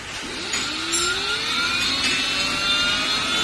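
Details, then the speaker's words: Aahana e-rickshaw loader 1500 W motor after refit, sensor plate marked and realigned: smooth whine rising evenly on spin-up, no grinding or rumble; previous noise gone, motor sounds perfect. "So friend देखिए motor का जो sound है एकदम perfect हो गया है"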